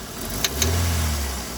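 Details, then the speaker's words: Engine misfiring with no stored fault codes and long-term fuel trim about +20%, lambda sensors working: revving brings a couple of sharp light taps through the rising note; mechanic suspects pistons touching valves, cause unclear. "губ у моё такое ощущение как будто у него поршня с клапанами встречаются на до секунды но хозя и оно троит у него ошибок него вообще нету"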